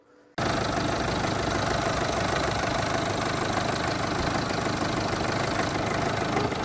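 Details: 2006 diesel with a hunting rough idle: revs rise and fall unevenly, nearly dying then catching, recurring every few days or weeks; injectors were checked and ruled out; a fuel supply fault is suspected.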